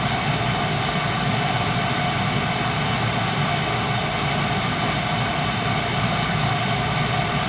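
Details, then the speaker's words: Eight-year-old Carlin gas conversion burner that had been tripping its safety reset, not maintained since installed; flame sensor possibly dirty, gas valve, motor or control also suspected; now smooth constant flame roar without flicker or dropouts, normal burner operation. "I mean any the gas valve might be acting up might be a bad motor but right now it's it's running smooth okay you hear it yeah"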